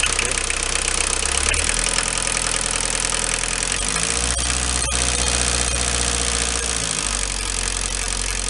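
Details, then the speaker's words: Renault 21 turbo diesel, 180,457 km: hard, uneven clatter over idle that persists as revs rise and fall; it has occurred on acceleration for 2 years/25,000 km, unchanged and audible in the cabin. Rockers have been adjusted; the owner rules out con rod and bearings; source unknown. "Voilà, ce bruit-là, là. Je l'ai eu en accélérant il y a 2 ans."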